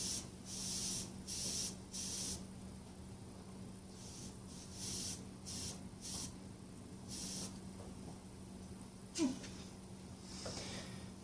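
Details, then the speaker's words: Honda ATC 110 carburetor float needle valve tested with air blown into the fuel inlet hole. The air hisses in bursts and cuts off cleanly each time, so the valve seals; the owner suspects the float is stiff and needs more cleaning. "So I'm going to attempt to hold a hose up to that hole, blow air in it, and see if I can, by activating this, if I can hear the fuel, well in this case air, come in and then stop when I close it."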